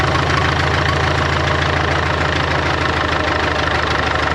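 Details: 1939 Caterpillar D4 with the Cat D4400 diesel after rebuild: loud, steady low diesel clatter at an even rate with no misses or stumbles. Some wet stacking suspected, needs breaking in. Normal idle.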